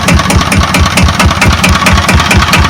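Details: Kubota EA-300-AR single-cylinder diesel, said to have about 15 hours of use, at low idle: slow, steady thumping about four and a half beats a second, even and unhurried; sound engine.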